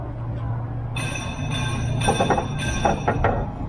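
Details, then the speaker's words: Scraping squeaks over a low idling hum each time the external cab storage locker (tool box) moves. The panel is rubbing on the cab because of assembly play, not the hinge, and could damage the paint. Fix: loosen the 13 mm/T40 bracket bolts, pull the locker slightly down, and reassemble. "이거는 이제 조립하고 유격에서 이 부분과 이 부분이 간섭이 생겨서 소리가 나는 겁니다."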